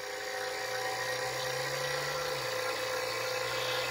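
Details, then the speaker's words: Vacuum pump evacuating a new 110 V, 12,000 BTU mini-split heat pump on a race trailer: a steady high motor hum whose low tone steps down as it pulls toward microns; normal operation. "I can hear the tone changing I don't know if you can hear that but anyways what that's doing is actually pulling the air out and here in a second it'll be in a true vacuum"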